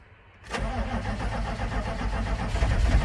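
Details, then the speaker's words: 1995 GMC 3500 HD 6.5L turbo diesel starting after injection pump replacement with injector lines opened, after a glow plug cycle: catches and settles into a rough, uneven low clatter as air purges from the fuel system. "all right so we're getting all the air out of it finally"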